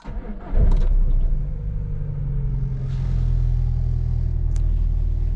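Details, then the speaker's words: Engine started on 100% ethanol with the switch at position 0; with no temperature sensor signal it should default to cold-start anomaly mode: cranks briefly, catches within a second and settles into a steady low idle. "Normalement ça détecte que il n'a pas la température de la sonde et donc il doit se mettre en démarrage grand froid anomalie et du coup démarrer presque correctement."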